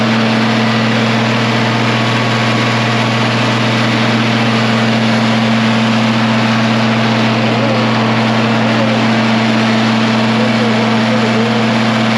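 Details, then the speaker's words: 1966 IH 1206 diesel tractor on dyno after head gasket repair and rebuilt head, breaking in new head, wide open throttle at partial load: even, unbroken drone with no knocks or misses; normal diesel under load. "we're just going to listen to this here in home and kind of watch gauges that's wide open partial load if you can hear"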